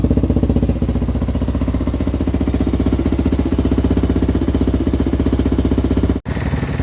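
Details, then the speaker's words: Two 1978 Honda XL250 barn-find singles idling together after warm-up, one on battery, crisp regular thumping with loud Supertrapp exhaust bark, no misfires; both sound healthy though different. "just started this one up steaming we've got the battery on it now we've started warm up one sounds good as well"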